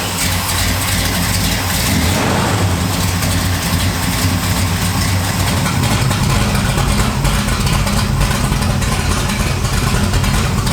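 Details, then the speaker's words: 1968 Camaro V8 with exhaust cutouts open, back on the road after 5 years: loud, deep burble with a lumpy cam idle and quick throttle blips; revs up very responsively, running clean. "does sound pretty good with the cutouts open. If you open the cutouts, it gets real responsive. Does it really? It revs up a lot."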